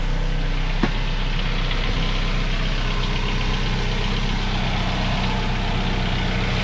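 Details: Dodge Dart idling just after installing a ceramic-coated Modern Performance header with the stock cat-back exhaust, coating burning off: smooth, even idle with steady low rumble, no ticking or puffing at the manifold; no leaks, normal idle.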